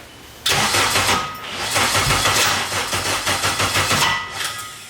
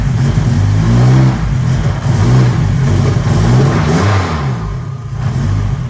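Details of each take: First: K24-swapped Nissan Cefiro first start attempt, lots of fuel: starter spins with ragged firing bursts that nearly catch then stumble and seem to lock up; won't start, owner suspects ignition timing is off, battery low. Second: Nissan Cefiro with K24 engine swap, first start, timing locked at 0 degrees, stock tune, turbo oil feed not yet connected: fires right up and revs cleanly in rising and falling pulls, steady exhaust note, no misses or knocks; running well.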